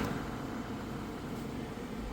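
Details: 2012 Kia Sorento after blower motor resistor replacement (it had blown only on setting 4): a steady, even rush of air on top speed with no rattle, squeal or ticking, so the blower motor is healthy.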